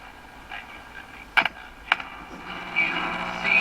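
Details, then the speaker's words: RCA Victor 12X2 tube radio at first power-on after full recap, with resistors found way out of tolerance; thin, faint audio barely above hiss with handling clicks even close to a strong signal; fault suspected in the loop antenna or oscillator; weak radio reception. "you can hear it here as well so in my mind there's definitely an issue between in the loop antenna area"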